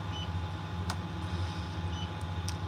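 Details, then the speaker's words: 136-ton crane cab, diesel rumbling: short high beeps twice, the wind speed alarm signalling current wind. "That beeping you can hear is the wind speed. That's what we're getting at the moment."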